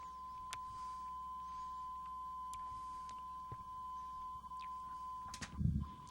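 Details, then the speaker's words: 8-track player on the bench running a tone test tape with a foil-splice loop, changing tracks automatically about every 10 seconds; steady high tone, then a short low rumble and click as it changes tracks cleanly, normal. "Okay, and you'll hear that little rumbling sound every time it changes tracks."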